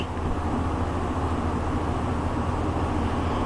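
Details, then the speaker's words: Walk-in meat cooler, first run in over 5 years at 50°F inside, heard inside the box: steady even hum and airy rush with no knocks, rubbing or squeal; evaporator fan running normally. "yeah i can hear the fan running"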